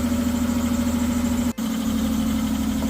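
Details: Ford V6 whose hydraulic valve lifters became noisy: steady idle with a fast, light top-end patter over the hum. Noisy hydraulic lifters.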